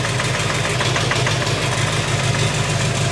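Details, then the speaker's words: First start of a 6.6L Duramax diesel swapped into a Jeep Wrangler, with the check engine light on, reduced engine power and no oil pressure reading yet: a steady low rumble with coarse clatter, running evenly. An earlier knocky sound was suspected to be the flywheel. Normal idle. "but it sounds good. Yeah. Are we sure that sensor's hooked up? That's so exciting. It runs."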